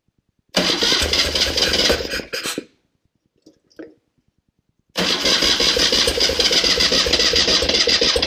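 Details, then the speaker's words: 1974 BMW R90S airhead twin after refitting the crankcase breather flapper valve the right way up (it had been upside down, causing a gobble); engine starts, cuts briefly, then idles with a quick, even patter, no gobble: normal idle. "I don't hear any more problems."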